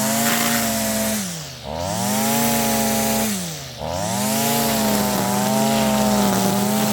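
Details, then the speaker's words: Stihl FS55R two-stroke trimmer after a carburetor swap, at wide-open throttle cutting grass: high steady wail that dips twice under load and recovers slowly, slightly soft and burbly; high-speed mixture rich, later leaned about 1/16 to 1/8 turn. "All right. So, that right there is staying pretty rich most of the time."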